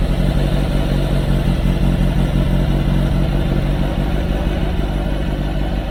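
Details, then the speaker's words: VW Bug race car flat-four at idle just after strip-down check-up and reinstall with exhaust refitted, twin carbs not yet balanced: steady, even chuff with no ticking or puffing; no exhaust leaks, sounds healthy. "sounds pretty good actually sounds uh sounds like it doesn't have any exhaust leaks which is a relief"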